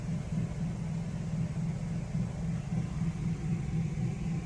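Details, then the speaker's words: Generator on eco throttle powering an RV air conditioner fitted with a Micro-Air EasyStart, fan only drawing about 3 amps. Low steady hum with gentle rise and fall. Normal idle under light load. "still sounds like it's idling with the fan on which was probably drawing about three amps listening for it hmm i wonder if the compressor has started already"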